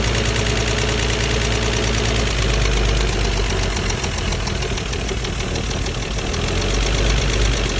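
Idle sounds uneven and lumpy, with an irregular pulsing beat over a deep engine rumble; rough running, cause not evident.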